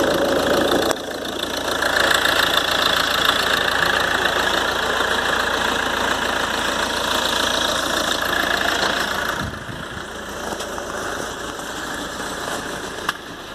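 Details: 2013 Ford Transit 2.2 diesel, cold, idling about a minute after start, after turbo repair (new compressor wheel, shaft bushings, seals, actuator motor and gears): thin steady whistle high above even clatter, unchanged; repair failed, owner suspects imbalance.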